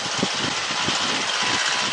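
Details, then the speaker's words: Light aircraft engine during a pre-flight run-up: loud, steady roar with no surging, dropouts or roughness; engine running smoothly and healthy. "it's running quite well actually"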